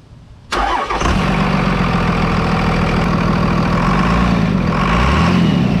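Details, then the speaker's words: 5.9 Cummins diesel with stock turbo, silencer ring just removed, started and idling: loud steady diesel idle with thin high turbo whistle on top, noticeably louder than before. "wow that that's nuts that's so hot that's freaking loud for just a littl"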